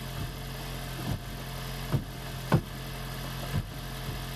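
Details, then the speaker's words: 2016 (4th-gen) Prius engine freshly swapped into a 2012 Prius V; quiet steady whir of engine spun over unfired with a few soft thumps, oil-pressure test before first start. Oil pressure reached. "we got to plug in the ignition coils almost seems like it ran without the ignition coils I would never have expected that"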